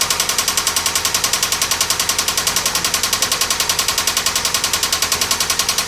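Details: 1997 Toyota Camry engine running the day after it cut out repeatedly while driving: sharp, even metallic knock two or three per second over a thin hum; head gasket failure suspected, not confirmed.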